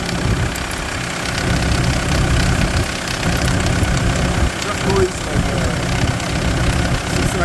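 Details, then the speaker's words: Kia Sorento diesel on cold start, with smoke and shaking until warm: a loud, uneven popping or slapping, chain-like knock over the clatter that the owner says subsides once warm. The owner suspects the glow plugs, and the source is unconfirmed. "It's like a popping sound like a like a slapping. It's like a chain. I don't know."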